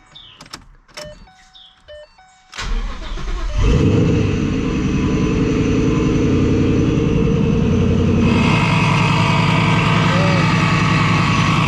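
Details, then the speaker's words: Supercharged Mustang GT at idle: engine loud, with a steady dry whirring bearing noise traced by stethoscope to the idler pulley under the supercharger, where clearance is too tight even to loosen the belt; idler pulley bearing noise. "engine this car is pretty loud but we can hear a a bearing noise so I kind of pointed it out to uh like with a stethoscope um sounds like an idler bulley under the supercharger"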